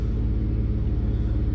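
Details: 2004 Chevy Silverado 4.3L V6 at raised idle, codes for MAF, O2 sensor, random misfire and evap, with lazy O2 sensors: a deep, uneven low rumble stumbling in rhythm, shaking the engine; a misfire.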